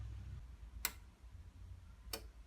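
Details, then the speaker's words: Bosch Classixx 6 Varioperfect washing machine (WAE24167UK, 2015) with drum motor fault: on second rinse of a 15-minute wash, two sharp relay clicks about a second apart, but the motor never takes over or starts. "that's the noise that should be taking the motor over and it isn't so let's pause it turn it off turn it to drain"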